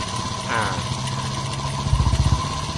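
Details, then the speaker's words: Honda CG110 rebuilt and bored to 125cc with 5-speed, first start before valve adjustment: single cylinder putters loudly with harsh pulsing rasp each firing; loud noise from carburetor mouth (intake). "เสียงเครื่องนะครับคือสตาร์ทเครื่องครั้งแรกยังไม่ได้ตั้งวาล์วนะครับเดี๋ยวต้องรอตั้งวาล์วอีกรอบนึงนะครับตัวนี้ที่เสียงดังเนี่ยก็คือเสียงดังปากคาร์บูนะครับ"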